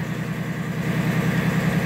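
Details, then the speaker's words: 2003 Chevy Trailblazer LS 4.2L, which would only start in neutral, after the neutral safety switch was replaced. It now fires right up in Park and settles into an even, steady idle. Normal start. "fired right up there you go it's showing Park"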